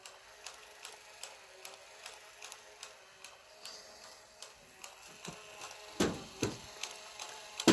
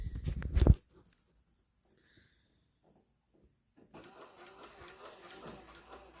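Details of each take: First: 1967 Chevelle windshield washer switched on: steady dry clicks about two and a half a second from the washer pump ratcheting, with no fluid sprayed. The wiper runs. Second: 1967 Chevelle wiper motor switched on: after a quiet spell it starts with a steady tick about every half second as the arm sweeps; wiper working normally.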